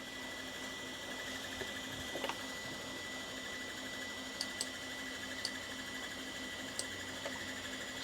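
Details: Macintosh Classic II running its 40 MB SCSI hard drive (System 7.5): steady high whine, low hum and scattered sharp ticks over a constant spin; horribly noisy, owner plans to replace it with a BlueSCSI.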